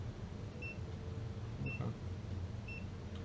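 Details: Gas detector checking recently installed water heater reported smelling gas, after a suspected leak at the adapter was addressed: short high beeps about once a second, slow and even with no speed-up near fitting; no leak detected.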